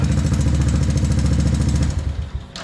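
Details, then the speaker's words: 1984 Honda 200ES Big Red three-wheeler, previously non-running, now running after new starter, CDI and repaired broken carb-to-head intake boot: small even quick single-cylinder thumps for about two seconds then dies away; running steadily. "but it runs it runs now it uh it didn't run it wasn't even close to running"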